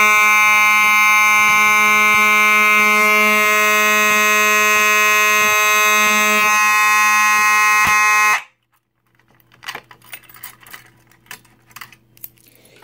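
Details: Simplex 4903-9219 horn strobe, driven by a pull station: loud steady buzzing horn tone with a fine rattle, running evenly about eight seconds then cutting off cleanly; horn sounding normally.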